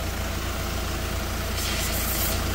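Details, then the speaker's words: Renault Espace diesel with DPF blocked and boost faults, DPF cleaning fluid injected with engine running; low steady idle then sharp hissing rush as injection hose is disconnected, lots of trapped back-pressure. "You can hear there's a lot of pressure in there."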